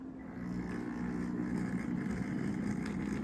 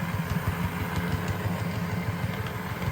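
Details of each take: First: Second model locomotive: steady soft motor hum with light buzz and track clatter, same noise level as the first, so judged normal for this model. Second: $20 Bachmann DCC Chessie model locomotive running on layout: soft motor hum with light clicking about three times a second from four flat-spotted wheels/axles; otherwise working, replacement wheelsets wanted.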